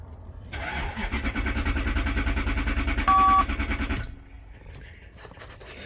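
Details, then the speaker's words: 1993 Lexus SC400 4.0, 105,000 miles: cranks evenly about three seconds and never catches; no fuel pump command, so the engine computer was condemned and a replacement was pulled from a junkyard car. "one last time before condemning the computer it's a bad computer let's not get in any command to the fuel pump control module"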